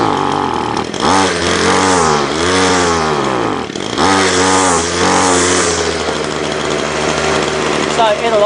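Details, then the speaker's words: Ryobi two-stroke line trimmer, head not turning fast enough, started with 10 primes, choke and full throttle: note surges and sags, never holding high revs, seemingly starved of air or fuel; over-oiled fuel mix found. "to me it sounded like it was struggling for either air or fuel or I've been caught before when it's trying to push it out the exhaust and the exhaust is blocked"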